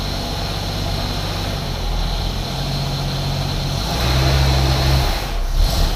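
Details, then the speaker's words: 1981 AMC Eagle sedan after distributor adjustment: engine idles with an uneven, lumpy beat and low drone, running but not yet smooth, though much better than before; rough running. "not perfect but it's getting a lot better yep"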